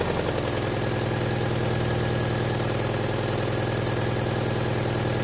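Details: Alfa Romeo 166 2.0 TS, engine revved, oil at full level: steady low knock about two beats a second under a rough idle, as if something loose, like a nut, is inside; cause unconfirmed.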